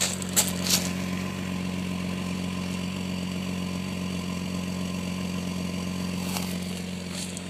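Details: 2001 Jeep Grand Cherokee WJ Limited 4.0, California emissions, cold start after fixing broken EVAP fill vent tube: low idle with uneven lumpy beat, no knock or tick; rough idle, owner suspects fuel pump and pressurized tank.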